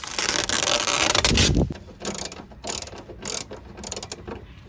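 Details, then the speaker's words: Bolero power window: irregular grinding ratchet clicks, about four a second, as the motor strains and the glass jams when the switch is pressed. The regulator cable is tangled and caught in the centre and needs resetting. "അപ്പം കണ്ടില്ലേ, ഇതിൽ കേബിളൊക്കെ ആകെ പോയി എടുക്കണം. അതാണ് അതിൻ്റെ പ്രശ്നം എന്ന് പറയുന്നത്."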